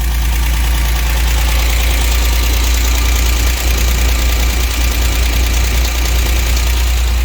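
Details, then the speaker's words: 1963 GMC K1000 4x4 after fitting a cap, rotor and wires and correcting timing that was about 30 degrees advanced: steady, even low idle rumble with no missing beats; the missing cylinder picked up, running smoothly. "uh i was bass ackwards on the timing it was way advanced like 30 degrees advanced i got it kind of back into the realm of where it should be running"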